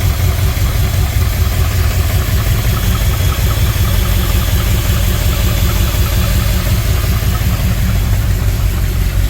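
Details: 1964 Ford Thunderbird engine after freeing stuck valves and a top-end rebuild; lifters now pumped up after a brief run. A steady, even low rumble with no tapping, a smooth idle it never had before, likely from running on one dead cylinder.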